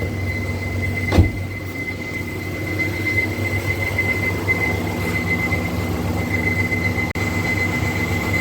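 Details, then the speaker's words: 2013 Nissan Micra Active, 49,700 km, engine warmed up. A constant high thin whine from the radiator fan when it runs at higher speed, stopping when the fan slows. A worn fan bearing is suspected. "foreign automatically the sound goes off so this is i guess when the uh the fan is running at a higher rpm is when the sound kicks in so i guess the bearing has to be changed"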